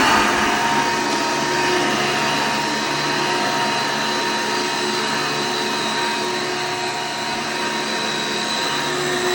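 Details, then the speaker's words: Hoover Elite upright vacuum test run after belt replacement: loud even motor roar with steady high whine, no knocking or grinding; owner thought he heard a faint cricket-like noise, possibly bearings, but runs smoothly. "But other than that, she sounded pretty smooth. With that test run there after changing the belt."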